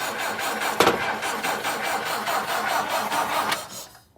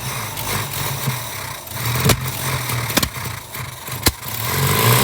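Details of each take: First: 1959 Ford Taunus 17M, first start attempt in the USA, coil has power, fuel leaking from carbs: starter steadily churns the engine over about four seconds without catching; cranking without starting, before it later runs. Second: 1959 Ford Taunus 17M first start in the USA after carbs leaking fuel while cranking: catches after a few seconds and settles into a quiet, even idle with no knocks or misses; sounds healthy.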